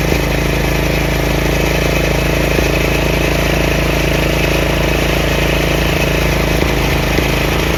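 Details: Craftsman 30-inch rear engine rider mower, after the throttle lever and PTO repairs: a steady, smooth low beat with the blades engaged and no knocks or squeals. Normal running.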